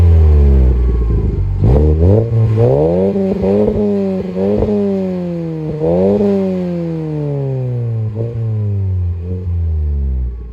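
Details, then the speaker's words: Volkswagen Golf after a new exhaust was fitted, replacing one whose catalytic converter had broken off the pipes; phone outside. Engine revs up and down smoothly with a deep, even, quiet note and no blowing, rattling or popping. Normal exhaust. "I don't know its way quiet and I'm happy about it"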